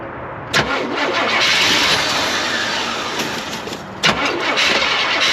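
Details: 1974 GMC Grand Sierra 3+3 dually with a 454 big block and TH400, sat for years on a farm, good spark confirmed: two cranking bursts about three seconds apart. It tries to fire but never settles into a steady run.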